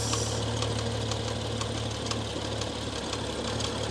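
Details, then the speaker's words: 2016 BMW M135i, stage 2 remap: rough idle with a sharp, regular tick about four times a second from the whole engine, top or bottom end unclear; owner suspects bent camshafts, no engine light. "I can't tell if it's the top end or the bottom end I can't tell at all so guys I can't tell what it is the whole engine is making the noise"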